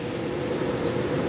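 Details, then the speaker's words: V8 on a new engine build, driven to the shop, idles with a rough, uneven beat; cylinder number seven is dead, confirmed by the water trick on the headers, before swapping coil, plug wire and plug. "but we have a problem running like crap I had no idea but this cylinder number seven is dead"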